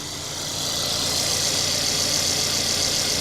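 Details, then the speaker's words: Mercedes CLA four-cylinder after replacing tappets for a low-compression misfire, just refilled with coolant: steady, even idle with a light top-end hiss and no tapping; normal idle, though engine light stays on and it won't rev fully. "You know what? That sounds great. Is there an engine light on? Well, that sounds good, man. That sounds really good."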